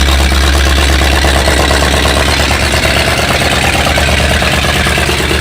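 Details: 7600 tractor diesel fired up after repair work; steady, even idle with a low rumble and no knocks or uneven beats; normal idle.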